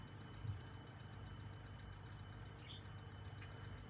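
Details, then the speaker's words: Philips cassette deck playing a wow-and-flutter test tone: light, even ticking about three times a second over a low hum; suspected cracked outer edge of a flywheel hitting the casing, not confirmed. "rattling normally means is the outer edge of the flywheel that always cracks is slowly coming apart and it's now hitting the casing in there."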